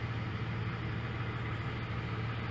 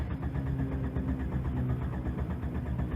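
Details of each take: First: 1996 Jeep Grand Cherokee Laredo, warm at operating temperature after its idle air control valve was cleaned for rough idle and poor mileage; check engine light still on. Quiet, smooth, steady idle with no hunting. Normal warm idle. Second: 1996 Jeep Grand Cherokee Laredo, engine warm at operating temperature: steady cranking drags on for several seconds without catching, long crank when warm; owner suspects dirty or bad idle air control valve (rough idle, poor mileage, check engine light on).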